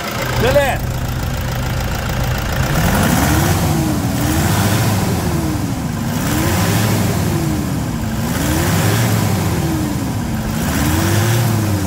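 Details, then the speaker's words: 2011 Toyota Hilux 2.5 diesel at idle after injector, pump and tank cleaning, intake manifold decarbonization, filter changes and new coolant: low, steady rumble with an even beat, slight shake but no misses; engine idles cleanly. "lá vamos escutar a melodia desse 2.5 Será que ele tem melodia"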